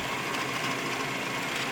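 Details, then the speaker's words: Rock-Ola 477 jukebox changer mechanism after cleaning and reinstallation, running in scan mode: a soft, even whirr with a light hiss and no knocks or scraping. It is quieter than before cleaning and working normally. "oh let's see see on scan and how nice and quiet that is"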